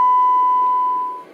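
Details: Breadboarded LM380N bridge amplifier (two LM380s); steady clean high beep holds about a second then tapers smoothly without crackle or dropout, good amplitude control but little gain: amplifier working properly.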